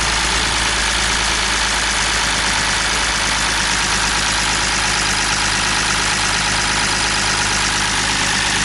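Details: BMW E46 M54 engine at idle after donuts, oil pump sprocket nut fell off: loud, harsh rapid clatter over a rough idle, adding extra oil did not help; loss of oil pressure.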